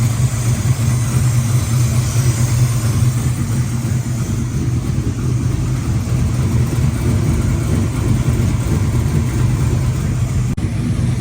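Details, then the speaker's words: 1968 Mustang V8 startup after installing Street or Track front coilovers and power rack-and-pinion work; battery sounds weak cranking: deep even burble at idle, steady low rumble, no knocks or misses; healthy idle. "Let's fire it up and see how she sounds, first of all. Sounds like the battery's dying. Sounds awesome as always."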